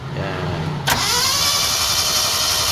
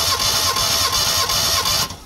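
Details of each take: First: Mitsubishi Lancer GLi 4G15 that sat and overheated, still misfiring after a general overhaul, compression test: steady even cranking whirr with no compression pulses, cylinder 4 reads zero while cylinder 3 showed 150 psi. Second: Mitsubishi Lancer GLi 4G15, overhauled (piston rings possibly not replaced) but still misfiring; compression test on cylinder 3: even cranking beats about three per second under a high starter whine, no weak strokes; reads 150 psi.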